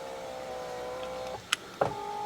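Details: Salvage 2014 Fiat 500L, driver's door electric window under diagnosis: an even electric whir from the left window motor, a short pause with a click, then smooth running again, so this motor works normally while the right one does not.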